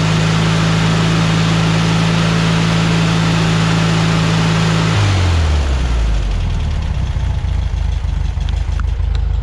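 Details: 1973 VW Beetle after installing a remanufactured Bosch 034 distributor: steady high rev at 3,500 rpm with 30° total advance and 7.5° base timing, then a smooth drop to even idle with no misses; timing on spec, running rich.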